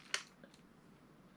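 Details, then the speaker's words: Vintage Schumacher Mi1 RC touring car steering turned to full lock: one sharp click as the arm hits the steering bump stop, which limits servo travel, then quiet; normal bump stop contact on that side. "You can hear it hitting the bump stop, see?"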